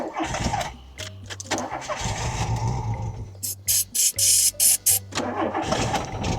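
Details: VW Polo 86c breadvan that runs rough, smokes and leaks oil under the cylinder head: repeated starter whirring bursts with pauses, never catching. Cranks but will not start.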